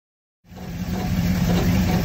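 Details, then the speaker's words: Crusader 8.1 inboard engine in a 31 Tiara boat with aluminum marine transmission: idling low drone, slightly uneven, with light rattle resonating through the transmission, actually a cylinder misfire commonly misdiagnosed as transmission failure. "okay hear that light transmission rattle on this crusader 81 and the 31 tierra that's actually a cylinder misfire a lot of folks misdiagnose this as a transmission issue"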